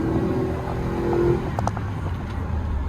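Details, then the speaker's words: GMC 2500 HD V8 pickup: the engine pulls up through the revs with an even, steady roar and no stumble or misfire, feeling like it is firing on all eight with power all the way through the RPM band. "this is by far the best this truck has ever felt it definitely feels like we're hitting on all eight it feels like we've got all the power all the way through the RPM band"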